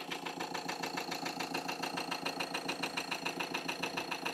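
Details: Ford Transit Custom diesel idling after repair of a fuel pump circuit fuse connection fault that caused repeated breakdowns, fuel pump voltage now constant: a steady diesel clatter ticking at an even idle rate with no stumbles or dropouts, running healthy and stable.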